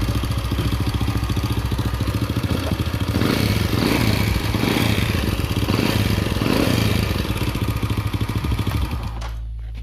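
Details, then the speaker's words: Honda Supra (Astra) motorcycle at idle: fast, dry ticking clatter from the top end, also hard starting; mechanic suspects tight valve clearance or cam chain, finding is oil starvation. "Jadi kendalanya mesinnya gemercek teman-teman."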